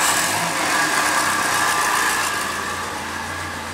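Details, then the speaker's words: Second-hand Triumph Dolomite 1300 engine in a Gentry MG TF Replica, warming up after first start following engine change, spilled oil mostly burned off: steady even idle, smooth unchanging note, no knocks or misses; healthy. "Okay, she's warming up nicely now. Most of that oil is burned off."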